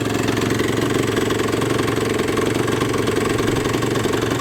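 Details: Suzuki RG125 two-stroke, fresh top-end rebuild, lacking power and not revving out properly: fast, fairly even rattle of about three knocks a second over a rough idle; suspected bottom end wear, not confirmed.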